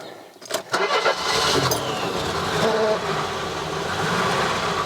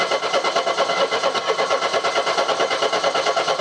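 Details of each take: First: Mercedes W123 230E, first start in about 16 years, in park with handbrake on: brief crank, catches quickly, settles into steady even idle with no knocks or misses; very smooth, good oil pressure. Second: Mercedes W123 230E on warm restart after first run in about 16 years: starter spins the engine with a quick even chug, about eight beats per second, never fires; hot-restart no-start, cause unknown.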